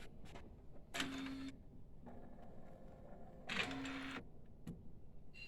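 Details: Epson A3+ based UV printer head-carriage shaft lifting mechanism, after pulling the gear back into full mesh with a spring: two short even motor whirs, steady tone, no grinding or skipping; gears meshing properly.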